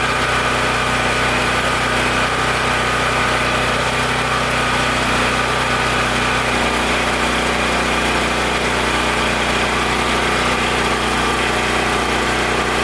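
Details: Powerstroke 6000 W generator with a 14 hp Honda-clone engine, after rotor repair and a governor adjustment made by bending the governor tab. A constant, even buzzing drone holds steady speed under load with no hunting or surging. Running healthy.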